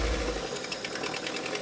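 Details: 1980s MG Austin Rover turbo barn-find car running on fuel fed by syringe: light, fast clatter of a small engine idling unevenly but keeping running; fuel pump still to be checked, fuel gauge reads empty.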